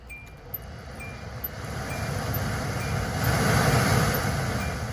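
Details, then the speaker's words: 2010 Hyundai Accent 1.6 new replacement blower motor, tested with key on (old one had nothing): even whooshing hum builds over a few seconds with a faint quick tick, running properly. "Okay, now it's working properly again."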